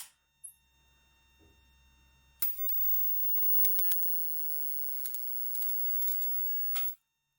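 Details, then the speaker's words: CRT TV high-voltage supply driving Soviet V1-0.15/55 kenotron rectifier tube as X-ray source: steady hiss with sharp irregular snaps and crackles as the tube arcs, dropping radiation output; high-voltage arcing. "you can hear that it's arcing a lot in the tube and that kills people the radiation that will stay almost max"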